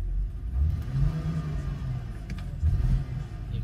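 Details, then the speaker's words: 2006 BMW X3 E83 petrol six-cylinder at idle: low, lumpy idle with uneven surges and dips, worse at times; scanner shows cylinder 3 combustion misfire (code 29CF), coil replacement planned: intermittent misfire. "he's firing um occasionally that idle it settles okay and sometimes it gets a little bit worse"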